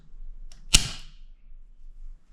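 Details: Newly installed GFCI arc-fault breaker replacing a loose, arcing breaker in an electrical panel: one sharp snap in a quiet room as it trips on its test button, working as it should.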